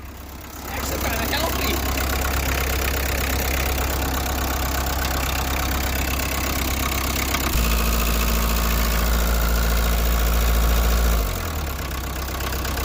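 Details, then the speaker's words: 1986 VW Jetta 1.6 turbo diesel after a tow-start, on the drive home with heater working, coolant circulating and oil pressure: steady diesel clatter that picks up briefly under revs then drops back, even on all cylinders; normal running. "well we're on our way home with it she's running heater works it's circulating Cooling got oil pressure doesn't really seem to be a whole lot wrong with it"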